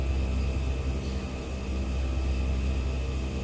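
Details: New ARB dual-screw air compressor (100% duty cycle, 150 psi automatic cutoff) filling the air system: constant low motor drone with faint steady whine, holding even under high pressure with no knocking or labouring; normal running, stays cool.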